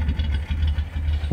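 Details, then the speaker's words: Nissan Platina with check-engine light on, stalling and hard morning starts, heard at the exhaust smelling of raw fuel: deep idle skipping a beat every second or so; intermittent idle misfire. "En el escape se escucha e y pica. mucho a humo, humo de gasolina."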